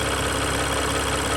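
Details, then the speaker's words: 2021 Jeep Gladiator 3.0 EcoDiesel, 5,000 miles, first startup after a fuel filter change: uneven shuddering pulse under the idle clatter as the high-pressure pump purges air from the system; should smooth out. "you hear that shuddering in there? The high pressure pump right there is processing fuel at the same time trying to remove air from the system. Now it will take a little bit for it to smooth out,"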